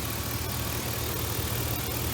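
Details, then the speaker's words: V8 idling smoothly and evenly after spark plugs replaced (cylinders 1, 3 and 6 had wet, fuel-fouled plugs from long-term misfiring); steady low rumble with no stumble, miss or knock, normal idle. "alright sounds pretty good oh yeah"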